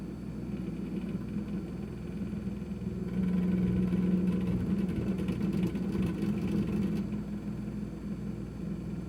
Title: Kenmore 51103 rattling sound